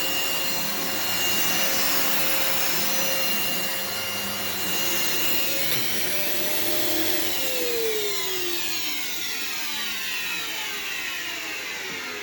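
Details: Phantom upright vacuum with separate floor/tools and carpet switches: steady motor roar with a high whine that drops smoothly as the setting changes, no rattles or grinding; brush roll spins and suction is excellent.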